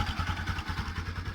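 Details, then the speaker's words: Bajaj Pulsar (Rouser) NS 200 after repair of a faulty stator that had caused engine noise: a steady single-cylinder idle with an even low pulse, the noise gone, no ticking or rattle. Normal idle. "bueno el punto es que está arreglada la moto y era el estator ahora ya no hace más ruido"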